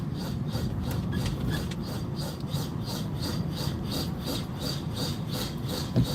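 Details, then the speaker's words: Vehicle driving on the road with recently fitted brake pads: rhythmic scraping swishes about twice a second, paced with wheel rotation, getting louder. Owner suspects a dragging brake or pad wear warning; cause unconfirmed. "Listen to that. It's like, what the hell is rubbing there? Now we got another damn problem."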